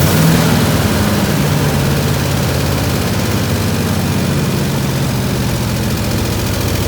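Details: 1967 IH Loadstar 1600 shop truck V8 cranked up in the shop during overhaul, slight tapping suspected from exhaust; deep even rumble with steady firing beat, no hiss or stumble, smooth idle.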